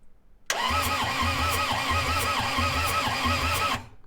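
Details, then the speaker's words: Long-sitting skid steer diesel after valve adjustment and new valve cover gasket, compression retest: cranks about three seconds with steady, even compression pulses, no weak strokes; compression sounds improved. "feel like i'm hearing a lot more compression now"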